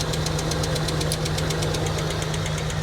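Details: Abandoned Nissan R34 Skyline engine: steady idle with regular uneven lope about seven beats a second and knocky edge; unplugging a sensor changes nothing, TPS fault suspected, not confirmed.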